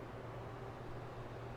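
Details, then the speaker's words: Tower fan after cleaning, oiling and reassembly, with the oscillator switched on (oscillator left with factory grease, not oiled): smooth, even low hum with no squeak or ticking; motor and oscillator run quietly. "But let's test it out 1 more time. Comes on, no squeaking."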